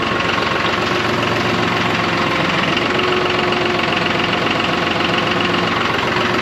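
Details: John Deere 5203 tractor with 512 loader, 740 hours, running after an oil and filter change fixed its hydraulic problem with milky oil: steady, even diesel clatter at constant speed with no misses or knocks; sounds healthy.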